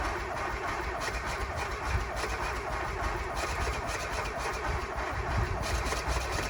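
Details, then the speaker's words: 1991 Mazda Miata 1.6 engine, overheated by the previous owner, started after oil was poured down the spark plug holes: lumpy, uneven idle with a ragged low chug, smoking from tailpipe and radiator; needs a head gasket, bottom end believed good. "um uh oh wow okay well it started um it smoked a lot of it definitely needs a head gasket"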